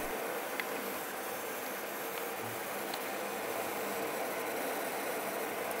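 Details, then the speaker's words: EVGA RTX 2060 Black Gaming graphics card under gaming load on the stock fan profile: steady loud fan hiss with a faint electrical crackle of coil whine attributed to sizzling capacitors. "le profil de base choisie par un vga et particulièrement bruyants et comme un casse à ventilateur et ça s'entend beaucoup et en plus vous allez entendre du col du wild donc le grésillement que vous entendez là ce raisonnement est due aux condensateurs qui se mettent à grésiller justement du mot variées sous traitance"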